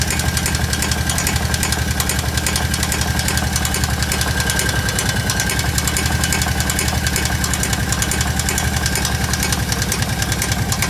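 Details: Kawasaki KVF750 ATV at idle: a loud, hard knock about three to four raps a second in step with the engine, over a steady rumble. It seems to come from the rear cylinder; valve tappets were checked and are OK. Cause unknown.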